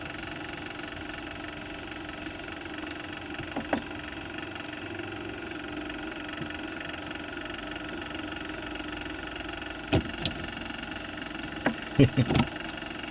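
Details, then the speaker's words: 1914 Victor Victrola VI (70586-C) before cleaning, motor running: steady whir with scattered irregular thumps and rumbles as dried grease makes the mainspring coils stick and suddenly release; dry mainspring grumbling and slipping. "that dry oil and grease in there causes the spring coils to stick and then suddenly release uh that'll cause sometimes you hear a rumbling sound"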